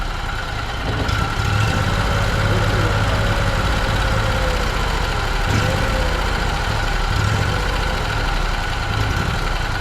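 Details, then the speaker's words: Roughly 900 cc big-block backup generator engine converted from propane to gasoline, after adding two gaskets and adjusting so it would idle down: steady, even low idle rumble with no knocking or hunting. "won't idle down I think we can put a cam in one of these make a chop a little bit there we go and it sounds good"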